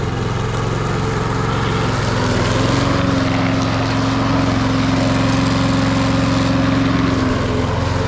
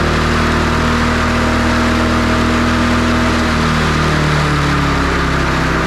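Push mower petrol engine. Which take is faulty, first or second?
second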